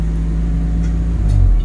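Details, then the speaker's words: 1996 Honda City 1.5i, check engine light on, before repair: idle surges and sags, note climbing then dropping within seconds instead of holding steady; hunting idle. "So ang problema nito is check engine light. Pabago-bago yung menor."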